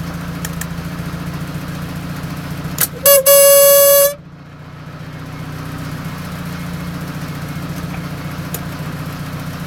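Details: Mazda RX-7 FD3S with FSE fuel pressure regulator, idling: loud horn-like honks of about a second break out now and then; owner wonders if the regulator caused the engine to die weeks earlier.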